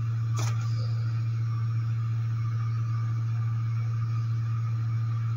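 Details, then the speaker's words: Homemade tool demagnetizer from a washing-machine drain pump motor stator, armature removed, on mains: constant deep mains buzz with nothing else on top; normal hum of the alternating field, harmless. "Il ronzio che si sente è una cosa normale ed è dovuto all'alternanza del campo magnetico, che crea delle vibrazioni sul pezzo e queste si avvertono anche sulla mano quando si passa l'utensile sulla superficie, ma non c'è nulla di pericoloso."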